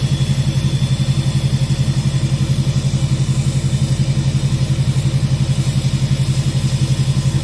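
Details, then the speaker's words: 2006 Chevy Silverado LBZ Duramax diesel, warm, idling on tune four (DSP5 switch) with new 5-inch straight pipe and flow-through muffler; deep, even, lopey throaty rumble pulsing about twice a second, no hiss; normal idle rumble. "So, this is the one that rumbles at idle. Tunes two and four rumble at idle. The others hiss."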